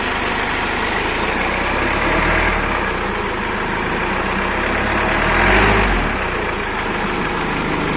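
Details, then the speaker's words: Toyota FD-25 forklift engine at its 500-hour service check, started and revved: the steady note swells smoothly twice and settles evenly, with no knocks, rattles or squeals and no abnormal starter noise. Normal revving. "Tidak ada bunyi berisik lain, tandanya engine starter dan abnormal noise tidak ada."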